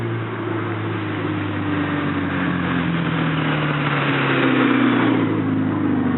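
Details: 1986 Porsche 944 NA petrol engine revving up with a raspy, airy edge caused by an exhaust leak ahead of the catalytic converter.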